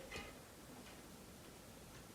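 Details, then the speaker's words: Bicycle mechanical disc brake during pad adjustment, outer pad screwed in: soft, regular brushing ticks about two a second as the wheel spins freely, pad rubbing the rotor. "go by eye and check there's still no grinding here there's grinding so i'll loosen it a bit"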